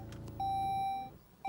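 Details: 2006 Saab 9-3 Aero convertible, V6 turbo, automatic, with a traction control message: clear high chime under a second, stops, repeats while the key is turned; engine won't crank, only the steering lock clicks.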